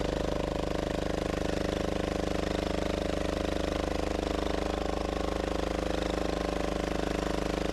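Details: Gravely Model L repowered with a Yanmar L100-clone 10 hp single-cylinder diesel (ex-Aurora generator), first start after bleeding the injector line: steady chug with a loose tinny rattle every stroke, exhaust bouncing on its mounts making most of the noise.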